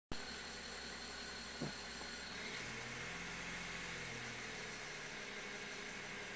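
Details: BMW E93 330i at idle: a thin high whistle over a low drone that drops in pitch partway through. Unusual engine noise from an unclear source.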